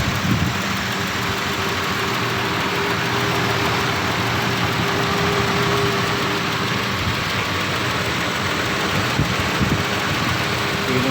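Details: 1990 Nissan Safari after a fix for its normal-cranking, no-start fault: steady, even idle with a smooth low beat and no misses or surges, settling into a healthy run.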